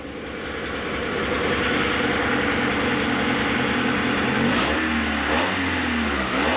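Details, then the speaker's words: 1995 Honda Accord EX, 2.2 L SOHC VTEC four-cylinder, 206,000 miles, rebuilt a couple of years ago, cold start: smooth steady idle with clean blips, pitch rising and falling evenly, cold air intake airflow audible, no knocks or ticks; healthy engine. "Seems to run smoothly, and I can actually hear the airflow through the cold air intake filter."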